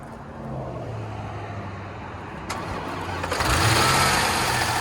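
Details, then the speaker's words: Range Rover L322 5.0L supercharged, first start after the battery was stone dead: cranks, catches after a pause, then an uneven rumble with a brief flare; rough start, but not that bad. "Ooh. Uh-oh. Oh, it's not that bad."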